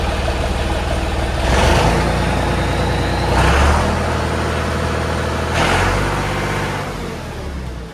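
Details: John Deere 5400 tractor with hydraulic reverser, rejoined after splitting to fix a driveline noise: diesel steady idle between three clean revs, no knocks, clunks or grinding; normal running.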